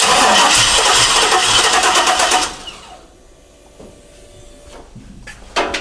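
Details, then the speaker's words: 1968 Chevrolet C10 with LS engine, probably over 200,000 miles: steady starter cranking about three beats a second for two seconds without catching; has fuel pressure but suspected low fuel volume from pump, starts with a spray; crank no start. "so you see what else talking about see so I have fuel pressure there's this issue with the volume or something it's not it's not good enough"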